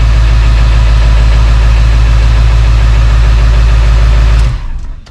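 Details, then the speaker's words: 2002 Ford F350 Super Duty diesel after reconnecting a disconnected butt-connector wire to the start relay that had caused fast relay clicking and a no-start: deep, steady idle rumble with no clicking or misses, then shut off and winds down. "key on everything sounds like it should no clicking here glow plug light out"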